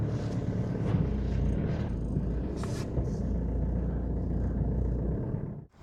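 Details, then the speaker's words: BMW E46 diesel, police-auction car that sat five years, restarted after not being run for a few days: a low, steady diesel rumble settling into an even idle with no knocks or misses before shutdown; it runs fine. "So, we can see that it actually still runs. [Music] That starts up just fine."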